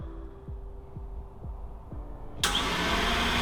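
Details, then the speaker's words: 2014 Super Air Nautique 230 boat, bought flooded and wrecked at Copart, after engine flushes and with the original starter cleaned: even cranking at about 2.5 compression pulses a second, then the engine catches and runs. The starter turns it over freely. "the starter is cleaned up looks good and now let's see if it's gonna work"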